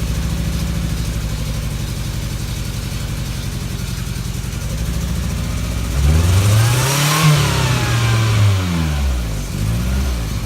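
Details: 1994 Toyota Tercel with fouled plugs and low compression (60 psi, up to 90 after Seafoam), exhaust or intake valve not sealing, during Seafoam treatment through PCV line: uneven lumpy idle, rev rises and falls back and still stumbles; misfires from low compression.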